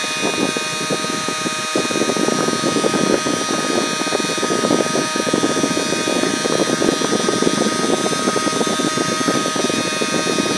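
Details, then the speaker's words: Scaled-down (about 60%) 3D-printed mini turbine driven by a tiny RC chopper motor: steady high-pitched motor whine with a rough buzzing rattle throughout, the printed turbine vibrating as it spins; less bad when held. "doesn't sound as bad if I hold on to that noise it's just big vibrating"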